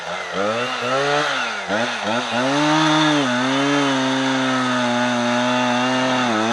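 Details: Husqvarna 455 Rancher chainsaw running Husqvarna 50:1 premix instead of owner-mixed fuel, after a new plug and ruling out the air filter: revs dip and sag as the chain bites, then recover weakly.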